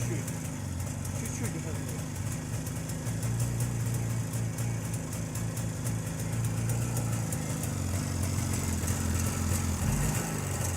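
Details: JAWA 350 two-stroke on a rebuilt contactless ignition circuit replacing the cam points: soft, low, even idle exhaust 'puh puh puh' with no misfires; owner notes idle rpm drops with this ignition and the engine runs softer.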